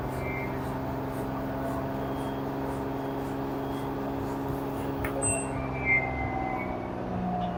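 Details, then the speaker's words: LG washer model F4V5RGP2T, under one year old, empty drum in quick test mode spinning up to about 1370–1400 rpm: smooth, even hum with no rumble, grinding or knocking; bearing, shaft and drum healthy. "No any abnormal noise from the bearing, shaft, drum, everything perfect."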